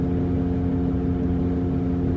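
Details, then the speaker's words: Saturn Ion on highway at about 55 to 60 mph on cruise control: low even droning rub over road noise, as loud as the music, speed-dependent; possibly a wheel bearing, unconfirmed. "can still hear it it sounds kind of like a boat engine the way that it rubs it's making that weird rubbing noise"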